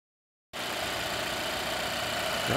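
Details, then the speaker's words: 2016 Volvo XC90 after replacing the failing oil trap (PCV system) that caused a loud whistle and lean code P0171: after a quiet start the engine settles into a steady, even idle with the whine gone. "like we have a fixed car replace the oil trap and the high-pitched whine and gone"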